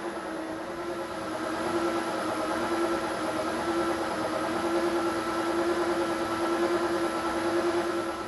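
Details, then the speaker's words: 1972 Weiler Matador SV lathe with spindle speed variation set by knobs for rate and amount of change: steady motor whine whose pitch slowly rises and falls in a gentle cycle; deliberate speed variation, running normally. "the speed is varying. And this one is how fast. This one is how fast it is changing, and this one how much."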